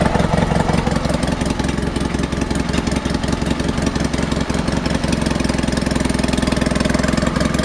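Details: Honda HT3813 engine during compression testing (front cylinder about 90-95 psi): steady, fairly loud idle with an uneven beat, running on only one cylinder at first startup; no valve ticking or obvious head leak; owner guesses valves, unconfirmed.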